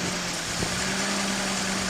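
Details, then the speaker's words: 1981 Datsun 280ZX after fitting new fuel injectors and service, just started: steady airy hiss over a smooth idle with a faint hum underneath, traced to an open unplugged vacuum port, vacuum leak. "so far I'm hearing this really uncomfortable hissing noise it sounds like it's leaking like it sounds like there's air coming out of the system somewhere"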